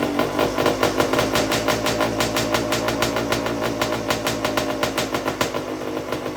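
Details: 1991 Honda CR80, 80cc two-stroke, first run after repacking the exhaust silencer: crisp idle blipped several times, with sharp, even pops about three a second; the exhaust sounds healthy and properly muffled.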